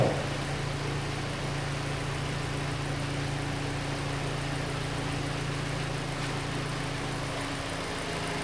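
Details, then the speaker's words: Hyundai Elantra after reconnecting the unplugged cylinder 3 injector connector (code P0267 had shown a misfire). Steady, even idle hum with no stumbles; idle is now smooth and the codes are cleared. "تلاحظون دحين السيارة صافية."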